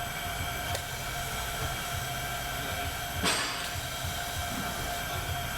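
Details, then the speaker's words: Worn, rough clutch throwout bearing spun by hand on a bell housing removed from a transmission described as done for: steady, gritty whir with a faint metallic ring. Clutch looks fine, and the pilot bearing is being replaced. "Throwout bearing ain't no good. Here's the throwout bearing, and it's pretty worn, bad."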